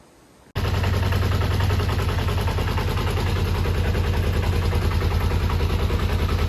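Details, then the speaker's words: Kawasaki ZZR250 track bike under restoration, after an oil change: catches at once and settles into a quick, even putter with no knocks or ticks and no smoke; healthy idle. "No smoke, sounds good with the new oil. Happy days."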